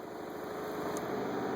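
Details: Methanol injection pump run by grounding the boost control valve terminal during a flow sensor test, with methanol flowing: steady, even electric hum with no surging or grinding; normal pump operation.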